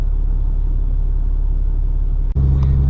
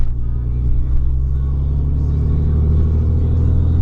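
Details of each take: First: Third-gen 6.7 Cummins diesel pickup with 4-inch exhaust and MBRP muffler, recorded inside the cab at low revs: deep, steady booming, pressure-like hum filling the cab; exhaust drone. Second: Third-gen 6.7 Cummins diesel pickup with 4-inch exhaust and MBRP muffler, on the road at quarter throttle: deep, even diesel drone, steady rumble with no knocks, misses or rasp; healthy normal exhaust note under light load.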